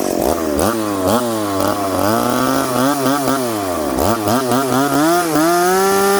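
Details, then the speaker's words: McCulloch Pro Mac 850 chainsaw with an expansion pipe, cutting rock-hard maple, limited cuts to avoid overheating. Pitch climbs fast and clean, dips into the cut and recovers, no stalling. Normal running under load; completely different saw with the pipe. "wow friends this is a completely completely different saw now"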